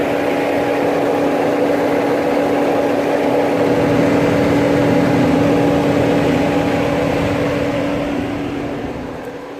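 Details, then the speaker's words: Mercedes ML350 W164 at idle with engine light on and ACC/HVAC dead: steady loud rushing roar, the engine radiator cooling fan running constantly at full blast right after start, recorded outside the car. "I hope you can hear it. Is running from the looks of it full blast."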